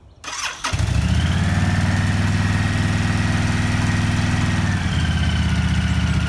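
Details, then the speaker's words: Honda VTX1300 motorcycle, stored 5 years with under 1000 miles in a decade, first start after fuel system, tank and carburetor cleaning and new spark plugs: cranks briefly, catches at once, steady V-twin lope, no misses. "that's the best part about firing them up that first ride everything runs good"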